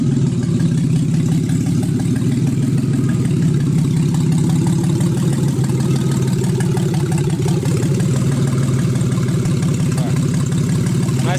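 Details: Freshly built forged 3.1-litre custom S52 six-cylinder, first start after ECU swap fixed P0600/P0601 codes: deep even rumble at steady warm idle, no misses, knocks or hunting, healthy.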